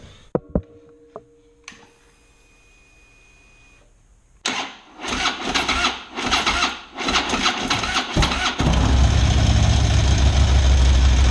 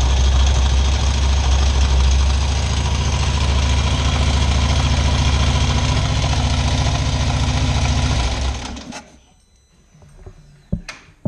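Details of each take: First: Harley big V-twin just after fitting a $10 part to cure top-end tick: a few clicks, then it cranks, catches and settles into a steady idle, with the ticking significantly reduced. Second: Harley big V-twin on stand, before fixing: idles with loping beat and light steady top-end tick, then shuts off.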